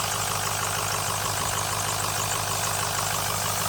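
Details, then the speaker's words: 2006 Ford F350 6.0 L Power Stroke diesel at idle after glow plugs, before VGT solenoid replacement: steady airy hiss over even idle near the turbo with the solenoid plugged in, gone when unplugged; owner suspects over-pressuring from the faulty VGT solenoid. "there you hear that air hissing now when I unplug it let me get a here the difference I unplugged the vgt so it's definitely from what I could tell"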